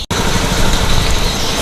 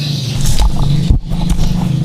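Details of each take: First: Honda Beat scooter, warning light blinking seven times, hard to start: on throttle the engine sputters and stumbles with rough uneven misfire and stalls when opened quickly or ridden. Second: Honda automatic scooter with prior sputtering, stalling and yellow warning-light blinking, kick-started due to weak battery: engine catches and holds a steady, slightly raised cold idle without stumbling; fuel pressure stable around 40, running normally.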